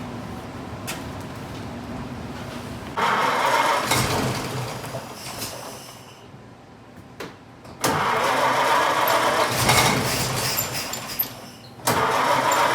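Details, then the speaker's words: 1926 Oakland, first start on the factory original coil with a newly made ignition wire: rough loping catch with uneven beats and stumbles; misfire because one spark plug wire was off. "it's got one plug wire off oh okay"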